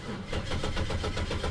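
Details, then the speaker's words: $300 Copart 2004 Pontiac Grand Prix GT, 135,000 miles, failing throttle control module, started on a booster pack: quick even cranking about eight a second building into a low rumble; starts promptly, then shows reduced engine power. "there she goes she's running boom just like that"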